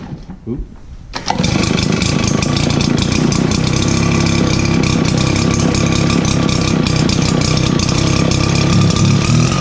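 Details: RedMax backpack blower after repair work: quick pull-start, then steady even two-stroke buzz with no stumbling; much better throttle response.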